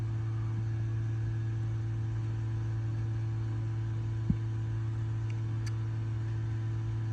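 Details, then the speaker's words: Ford F-150 ABS service brake bleed run through Forscan with the engine off and ignition on, left front bleeder open: steady, unchanging low electrical hum as the ABS valve is energized, but no fluid comes out. "Alright, energizing the valve. Hold on, I gotta turn the switch on. Energizing the valve, I guess you can hear. I can hear it, but it ain't doing nothing."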